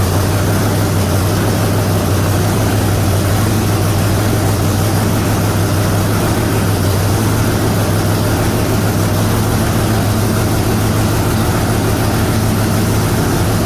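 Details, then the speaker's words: Supercharged big-block Chevy truck with eight of its injectors not working: loud, deep, lumpy V8 idle with a heavy steady drone. It misfires from the dead injectors. "good and bad news so bad news we can't get the other eight injectors working i hope hope hope steve is able to help us on that"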